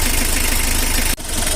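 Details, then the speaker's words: L300 diesel idling after the tune-up adjustment. The sound has changed and the earlier 'kletek-kletek tok-tok' rattle is gone, leaving even firing pulses with no harsh clatter. Normal idle. "Guys suara udah beda ya nanti kita lihat di depan nih suara langsung semakin ke depan mana yang kayak batu jatuh kemericik aku udah mau ngomong biar mana dia kletek-kletek kletek kletek tok tok nggak ada ya"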